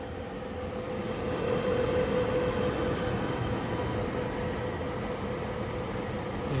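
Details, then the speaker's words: 2005 Lasko Pro-HV blower fan, unused for a while, running on low speed. A steady rushing hum with a faint whirring tone and little audible air noise. The internal noise doesn't sound healthy. "so here's low speed and it's relatively quiet doesn't sound very healthy"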